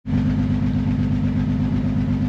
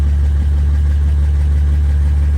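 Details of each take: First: 2009 Honda Odyssey at idle with an oil leak: lumpy, uneven low pulse with a regular stumble; severe cylinder misfire on scan, low compression feared; fixed with the oil leak repair and new spark plugs. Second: 2009 Honda Odyssey after oil leak repair and new spark plugs (plugs had been oil-soaked) fixing a severe misfire: loud, deep idle through a leaking exhaust but steady beat with no stumble or miss.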